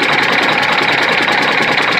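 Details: Freightliner FLD120 with a Detroit Diesel Series 60 11.1, hard cold start with bad injectors and only some cylinders firing at first; steady rattly diesel clatter with a hard tapping knock, sticking valves suspected, not confirmed.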